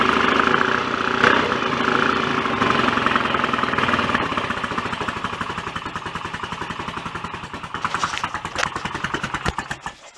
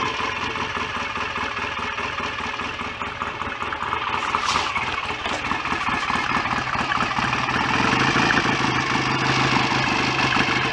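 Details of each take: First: BSA A65 twin after engine rebuild, cylinder head refitted, first start on a warm day: even beat about 200 firings a minute, mechanically sounds quite good but the exhaust note is flat and lame from retarded ignition timing; to be advanced. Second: BSA A65 twin after rebuild, rotor moved on its taper to advance the ignition further; even, regular idle beat with no knock or clatter, oil circulating, no smoke. Normal idle.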